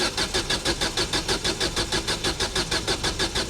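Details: Ford Mondeo rescue project after heavy snow, fuel pump suspected, pump connector and tank earth cleaned: starter spins engine evenly about three turns a second but never fires. Crank, no start.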